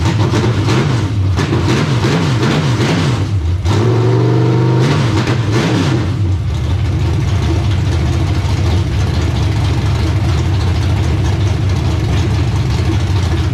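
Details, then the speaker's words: Race car V8 just installed, first start after the engine build; catches, blips up and settles into a steady, even lope with no knocks or misses; carburetor working; engine running healthy. "sounds pretty good yeah that sounds pretty good"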